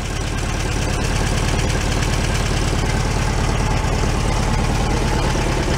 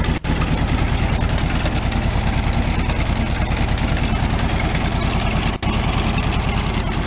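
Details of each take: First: 1978/79 VW Super Beetle convertible, fuel-injected flat-four after oil leak repair, warmed up a couple of minutes: low steady putter about three beats a second with no knocks or misses, no oil dripping; normal idle. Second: 1978/79 VW Super Beetle convertible, fuel-injected air-cooled flat-four, tired engine that smokes: lumpy uneven idle with a regular thumping beat about three per second; one cylinder dead, suspected loose or failed wire, low compression on one cylinder; misfire.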